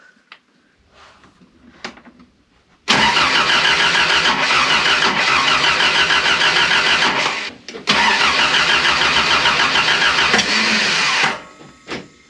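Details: Toyota KE70 Corolla with freshly rebuilt engine, spark confirmed: brisk even cranking about three beats a second, pauses, cranks again, never catches; distributor was installed 180 degrees out.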